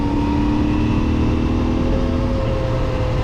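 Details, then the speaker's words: CFMoto 450MT motorcycle on GST knobby tyres, mountain road at roughly 50–100 km/h: a steady droning hum over wind and engine, rising with speed, heard even through the helmet; knobby tyre road noise. "dişli lastik olduğu için üstünde bakın bir miktar böyle diye bir ses geliyor hız arttıkça artan bir"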